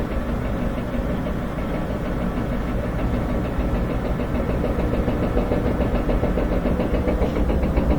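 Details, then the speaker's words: Front-load washer spinning up: rapid uneven banging about three to four knocks a second, louder with speed, from the spin basket shaft moving in a bad rear tub bearing with excessive play. "a little banging coming from the back that's the uh looseness and the the shaft going into the rear bearing as it's bouncing around"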